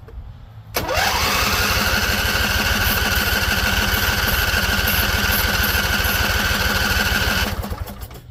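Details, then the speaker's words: Husqvarna Z254 with a swapped engine and carburetor new a couple weeks earlier, unrun for weeks; spark confirmed. Steady cranking about four beats a second with a couple of faint pops, never catching; owner suspects flooding. "So it seems like it's flooded because I heard a couple pops. So I think it's going to start."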